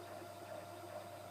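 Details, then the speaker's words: 10W LED moving-head disco light powered up without a DMX signal, so it goes into automatic mode and pans randomly: a loud, soft, wavering mid-pitched stepper-motor hum that shifts as the head moves, with no grinding or clicking; normal. "And then because it's not getting DMX, it uh will go into automatic mode and make sort of loud stepper motor sort of"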